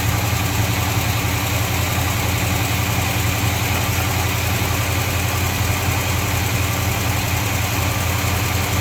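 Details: 1953 Chevy truck after a hose leak repair and reducing excess ignition timing: steady even idle with a smooth low rumble and no misses or knocks. Runs cleanly, fast idle stuck on because the choke is unhooked.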